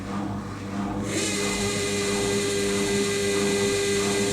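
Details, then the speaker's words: Beko WMA641W 1400-spin washer test spin after fitting new carbon brushes that still need bedding in: a steady motor whine with a light rhythmic thump about four times a second. It accelerates well and shakes slightly but runs normally. "oh not bad at all that's good acceleration that's that's nice shaking a bit"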